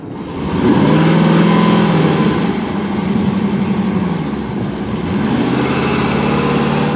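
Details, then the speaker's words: Older Chevy Tahoe V8 with long crank, hard start needing throttle like flooded, strong gas smell, cooling fan on high; runs unevenly with lumpy stumbling beat when blipped, not hitting on all cylinders; suspected compression problem causing misfire. "Crank's funny. Hardly starts. I hear I hear a compression problem. I had to give it gas to get it to start to basically like almost like a flooded condition."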